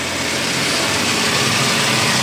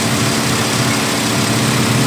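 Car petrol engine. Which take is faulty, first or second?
first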